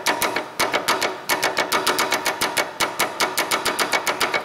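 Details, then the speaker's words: Front sway bar link tapped with a hammer handle: sharp metallic taps a little over two per second, each answered by a loose clack from the loose upper joint; sway bar link knock that translates as a rattle inside the car. "that's that noise there is usually what translates inside the car so the upper joint there can get loose"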